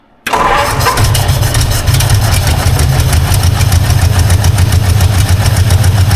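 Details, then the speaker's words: Long-sitting 1952 Ford Crestline flathead first start after years in a field: catches and settles into a lumpy, uneven low idle with irregular lope, sounding like dead cylinders; misfire suspected, compression not tested. "sounds like dead [Music] cylinders really sounds like some dead cylinders"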